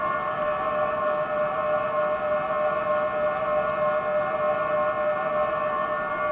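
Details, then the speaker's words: 2023 Toyota Prius hybrid shifted into reverse: steady hollow electronic hum pulsing about once a second, the normal pedestrian warning that the car is reversing, alongside obstacle beeping. "that's the sound that it makes to alert people outside of the vehicle pedestrians or whatever that uh you're in reverse and the car is running"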